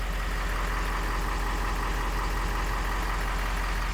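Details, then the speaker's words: 2020 Ford F450 with 6.7 Powerstroke diesel idling after an oil and filter change (12 quarts), run to build oil pressure: steady, smooth low rumble with no knocks, ticks or hunting; engine sounds healthy, no leaks. "engine sounds good letting it run letting it build up pressure and everything and fill up the voids"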